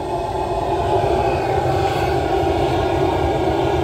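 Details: Outdoor waste-oil boiler with new burner nozzle, now up to temperature: steady, deep, even rumble with distinct change in tone, no surging or sputtering; firing cleanly.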